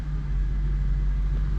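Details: Audi A6 Allroad 4.2 FSI after an oil and filter service and a replaced fuel line, fuel pump primed: a smooth, even low rumble right after start-up with no knocks or stumbles. The engine is running normally.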